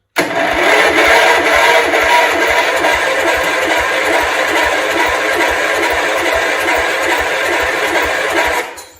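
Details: 1971 John Deere 140 H1 lawn tractor, long parked, after tightening the spark plug, with fuel leaking onto the points and an exhaust valve staying open: steady cranking about two beats a second with faint attempts, but it never starts.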